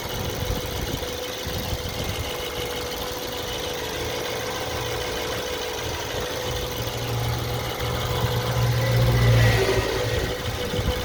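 A steady idle with a light, fairly regular tapping at about four per second that comes and goes over the hum. An intermittent knock at idle.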